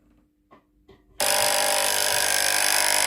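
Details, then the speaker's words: Philips GC7703 steam iron (no steam, powers on and heats normally): soft clicks, then a loud, harsh, steady electric buzz as the water pump, powered directly from an external cord, runs dry with no water output; pump is broken. "Regardons l'eau qui sort de la pompe. Il n'y a pas d'eau qui sort (la pompe à eau est cassée)."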